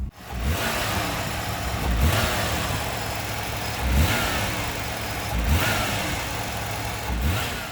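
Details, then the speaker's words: 1991 VP Commodore before ECU replacement, throttle blips from idle: revs rise slowly and unevenly with a delayed response and a misfire on throttle. High idle and check engine light on; caused by a faulty ECU. "When I was revving the motor, there was quite a delay from when I opened it to the point where the engine actually started increasing its revs. So that's obviously not good."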